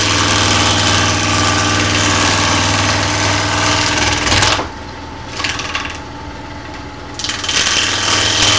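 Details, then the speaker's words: Maple bowl blank turning on a lathe: steady motor drone with an even thump about four times a second that drops away when the cut stops; blank mounted off center, bark still showing on one side. "all right so I can tell I'm off center by seeing that I've already got bark on this side or I'm already have wood and I'm still doing bark over here"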